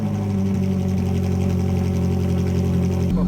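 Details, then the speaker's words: Ferrari 458 Challenge car first started after repainting, reassembly and electrical repair with a new switch, no warning lights; V8 catches and settles into a deep, smooth, even idle with no knocks or misses while warming up; normal idle. "that is an awesome sound let's uh let's let this thing warm up to temperature make sure all the water all the levels are good"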